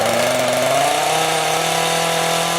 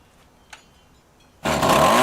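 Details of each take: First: Two-stroke rototiller, carburetor cleaned after winter storage and being adjusted. A steady high buzz sags and stumbles twice instead of climbing when throttled; the low-speed mixture screw is set too lean and needs opening. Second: Two-stroke rototiller stored over winter with fuel in it, after carburetor cleaning and idle/high mixture adjustment; tilling soil under load, engine bursts into a strong, steady buzzing run without stumbling, much better than before; normal running under load.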